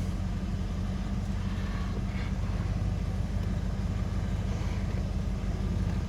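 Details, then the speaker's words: Holden VN SS V8 at idle after fresh oil: smooth, even low rumble, quiet now with no ticking, which was present at first start due to old oil; normal idle. "Ah, this sounds nice and quiet, doesn't it? It was a bit ticky at the start, obviously, because of the oil, but now got fresh fluid in it."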